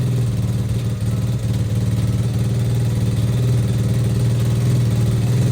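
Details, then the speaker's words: Apollo RFZ single-cylinder pit bike after service, idle still to be lowered: slightly uneven idle with a sharp puffing chuff on each firing pulse as exhaust gas escapes at the stock silencer joint, which leaks badly. "En fait on a une fuite à la cartouche, mais ça c'est la ligne d'origine de la moto, hein. C'est une vraie merde."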